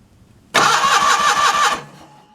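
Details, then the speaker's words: John Deere 316 small engine after gas tank work: bursts into loud pulsing run for barely a second then sags and dies, won't hold idle without choke; owner suspects faulty idle circuit. "I'd say the idle circuit Jacks Clos is probably messed up cuz I shouldn't have to be choking it doesn't sound too bad now"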